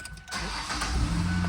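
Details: 2012 Ford Escape 2.5L that had stopped starting; ignition switch/key was sticking and wouldn't turn, lubricated via a straw into the switch: brief quiet, quick crank, catches and settles into even idle; normal clean start.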